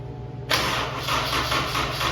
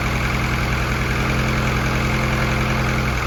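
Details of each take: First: F24 first start attempt on the newly built motor, no belts fitted: starter drags the engine round slowly in labored pulses about three a second; owner suspects a weak battery, later boosted with a converter. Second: F24 newly built motor, first start-up run: steady even idle with a smooth low hum, no knocks, misses or hunting, no leaks; fresh engine sounds healthy, valve lash to be checked after break-in.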